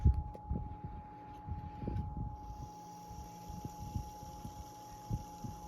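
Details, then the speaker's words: 1975 Toastmaster DeLuxe 12-inch oscillating fan 7310 with a replaced 3.5 µF capacitor, cold. On low speed it shows a steady faint motor hum, more audible than on higher speeds; owner suspects it fades as it warms. "motor's got kind of a hum you can hear it more on the low speed imagine that probably goes away as the fan warms up more it's uh cold right now"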